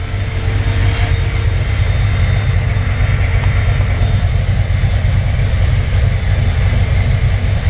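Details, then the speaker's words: 1968 Corvette with XL DFI distributor and crossover: steady low rumble with a fairly lopey cam rhythm and constant electric cooling fan whoosh; normal idle with fan running. "Hear the electric fan kicking on, again correctly wired. And again, a nice purr of the cam."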